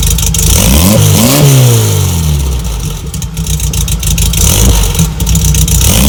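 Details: 1963 VW Bug flat-four with new stainless steel Vintage Speed (Japan) exhaust, fitted before a time attack: loud, raspy revs rise and fall cleanly, then a lumpy idle; crisp response, engine running healthy.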